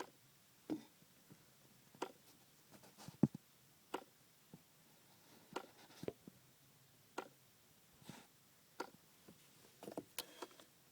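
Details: 2004 Audi A4 B6 with the engine off and key out: sharp, irregular clicking from behind the glove box, traced to a failed HVAC flap actuator, part number 8E1820511C.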